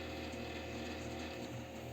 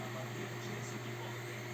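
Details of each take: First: Dusty desktop PC that shuts off after about 3 minutes; low, steady droning howl with a faint rattle and no speed change from the CPU cooler fan, whose bearing is dry and worn: worn dry CPU cooler fan bearing. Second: Desktop PC after the CPU cooler fan was cleaned and lubricated, previously howling loudly: soft, steady low hum with an even airy hiss and no rattle. The cooler fan now runs smoothly and much quieter.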